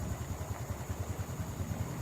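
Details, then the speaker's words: Honda Revo FI that stumbles at low rpm, TPS judged okay: slow, lumpy single-cylinder putter, idle too low and uneven; live data shows idle speed too low. "Lalu kita lihat lagi live datanya seperti apa. Dan untuk RPM-nya dia terlalu rendah di sekitaran 11.000 rpm."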